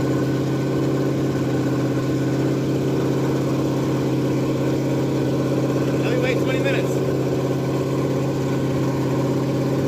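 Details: Ford F100 302 V8 with Comp 268H cam at fast break-in idle through open pipes: steady, even lope, no ticking or knock; normal running, though oil looks slightly milky.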